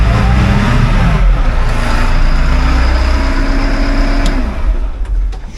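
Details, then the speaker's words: Caterpillar wheel loader diesel just after 24V starter replacement; strong even run, pitch climbs smoothly on rev and settles back without misses or knocks; normal diesel running and revving. "Key switch is now on. Got lights. And she starts right up."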